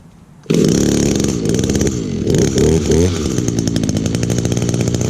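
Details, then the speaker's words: Almost 18-year-old two-stroke trimmer with a primer under the carburetor. Snarls to a strong, even buzz at steady throttle with no stumbling. Runs excellent with great compression; normal running. "Oh yeah. For a trimmer that's almost 18 years old, it still runs excellent. Still has great compression too."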